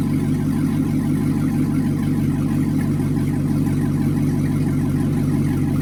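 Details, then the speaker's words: Chevrolet C6 Corvette with a swapped-in LS2 V8 at first start, after installing a converter box so the ECU could read it; no coolant yet, good oil pressure, with a healthy, steady V8 idle burble. "ready you [Music] ready oh my God oh my God sounds good"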